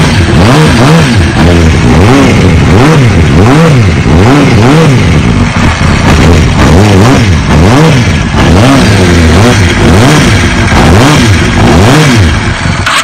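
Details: 2005 Kawasaki ZX6R 636cc fuel-injected engine, running after the fuel pump connection was reseated: crisp revs blipped up and down about once a second, rising and falling cleanly with no misses or knocks. Normal idle and revving.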